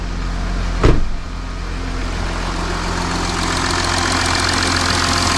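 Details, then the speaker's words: Audi Q7 3.0L TDI after engine oil cooler replacement, just started with no dash warning light: even diesel clatter settling into a smooth steady idle after one brief clunk near the start; engine sounds good, no leaks. Normal idle. "So the engine is running great. The engine sounds good. We don't have a leak anywhere."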